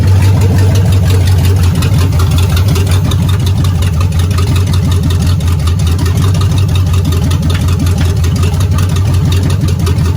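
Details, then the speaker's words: Old V8 in a '62 vehicle idling loud and deep with a rough, uneven knock heard in the passenger-side exhaust; engine knock, engine not looking good. "oh that may have been that it may have been that whatever definitely passenger side you could hear it in the exhaust knocking with not looking good"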